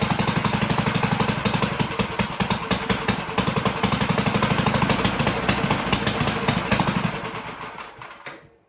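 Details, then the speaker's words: 1958 Gravely Model L single-cylinder engine, sat about a year, first run after fuel and needle-valve adjustment, choked, throttle not hooked up: uneven stumbling thump about four beats a second then dies; big hole in muffler, not yet tuned. "But it did run. Sounded pretty good. It's got a big hole in the muffler."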